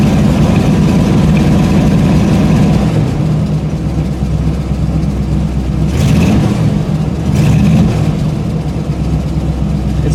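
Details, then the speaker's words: Engine started after sitting two weeks, idling too fast, then revved: it picks up but the beat stumbles irregularly under the rising note, a clear misfire that doesn't smooth out; owner wonders about earlier vapor lock. "otherwise it's been taking just 1 1 2 3 and here's the misfire and if I rev it"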